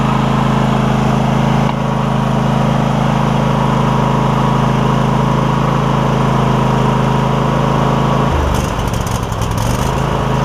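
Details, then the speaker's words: Cub Cadet GT1554 garden tractor with Kohler V-twin, after new ignition coils for a misfire, warm day, blade disengaged: smooth, even drone with no skips or stumbles; both cylinders firing cleanly; normal running. "oh man runs fine ran fine before but I knew that it had a misfire so I'm not going to sit there and try it as is"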